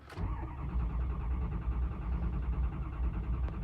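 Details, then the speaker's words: 6.0 Powerstroke diesel truck that died while driving downhill after IPR screen replacement: steady starter churning, engine cranks but never catches, not building enough injection pressure to start. "still not building enough injection pressure to start, which is fantastic, I guess."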